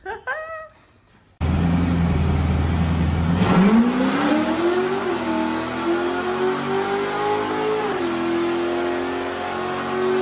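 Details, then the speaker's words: Chevy LS3-based 427 V8 in a rebuilt Ultra4 bomber off-road race car, on the dyno during tuning, with 8-to-1 headers: deep steady idle, then a clean rising rev that holds with no misses or rattles; healthy, strong-sounding engine. "Holy that sounds good. I should not be allowed to own this car. Holy crap. Oh man. It's the 8-to-1 headers and that engine, and it just sings."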